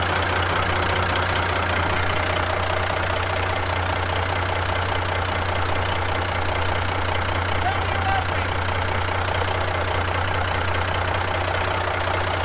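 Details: 1970 Kaiser M-813 5-ton military truck, just after its first start in over 10 years on new batteries. Even, steady diesel clatter at idle with a regular low beat and no knocks or misses. A healthy idle.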